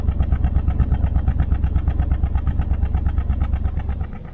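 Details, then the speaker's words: 1968 Nomad with side pipes, recorded on the side the miss comes from: idle lopes unevenly about three times a second. It has had a long-standing misfire that fades at higher rpm and clears at full throttle. Cause unknown; compression test planned. "it seems to run good and you can't really feel the Mist you come to this side and you can hear"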